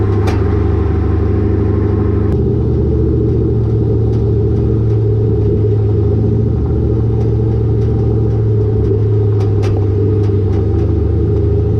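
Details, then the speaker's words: Car with a Borla catback exhaust and lowered rear coilovers, recorded by a GoPro underneath while driving. Road rumble with irregular sharp metallic smacks over bumps as the exhaust pipe hits the rear axle. "I don't know if you guys could hear that, but that was the exhaust smacking on my axle every time I go over a little bump."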